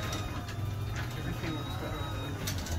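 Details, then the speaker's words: 8550RGD garage opener on an Overhead Door 591, salvaged from a junk pile, already oiled: low hum with irregular ratcheting ticks and light squeaks as the door travels; struggling, dry moving parts want more oil. "Sounds like she's struggling, bud. It's a little hot in the head."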